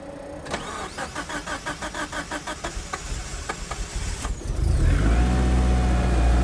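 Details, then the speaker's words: 1991 Eagle Talon TSi sat over a year, started on a jump box with a dead battery: long even cranking to reprime the fuel system, then it catches and settles into a steady idle; started well. "That is not bad at all. I'm I'm very happy with how that started. Basically, enough cranking to reprime the fuel system and uh was good to go."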